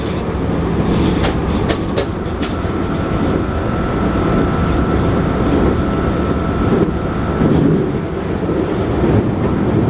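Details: JR 221-series Yamatoji Rapid train car with field-added excitation control (top speed 120 km/h), recorded between Oji and Kyuhoji while running at speed; rail clatter plus a repeating thump each wheel turn that tracks speed, from a wheel flat.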